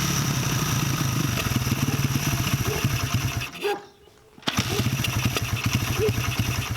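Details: 1989 Honda XR100 single-cylinder with a new carburetor and throttle cable, both old ones seized. It thumps at a fairly steady, quick beat with a brief cut and restart; runs cleanly, normal running.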